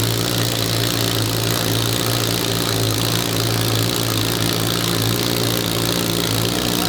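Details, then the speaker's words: Billet four-rotor rotary engine on open headers, fired by an Adaptronic M6000 ECU, idling by itself at first start: loud, even, rapid burble holding steady with no hunting or misfires; normal stable idle. "That's just open header, four rotor. Just pretty good. It sounds awesome. It was stable."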